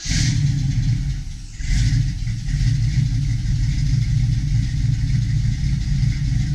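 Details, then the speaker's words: 1972 Chevy Nova SS V8 with FiTech fuel injection and fresh oil, cold idle around 950 rpm: deep even rumble with a brief dip, then steady low idle; normal cold idle. "all right as you can see there we're cold idle right around 950 give"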